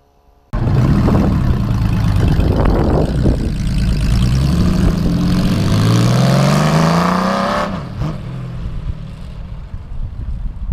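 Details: Rebuilt 351 Windsor V8 in a truck, timing set so computer controls timing: catches cleanly, revs climb smoothly and settle back, even beat, no knocks or misses; healthy.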